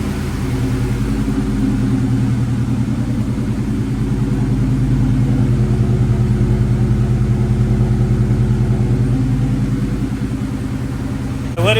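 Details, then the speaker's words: 1998 Mustang Cobra idling after an OEM belt tensioner install, with a very loud exhaust: a steady, even idle and no belt squeak. Normal idle after the fix. "but as you could hear we ain't got no squeak at all which is great great news"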